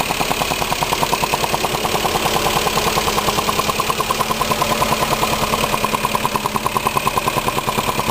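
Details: 2002 Lexus IS300, 53k miles, SRT ECU and intake since 26k, fresh oil change, codes P0440/P0446: sharp, even ticking about 2.5 per second at idle; starts after a minute idling, goes away after hard revving, returns within seconds; cause unknown.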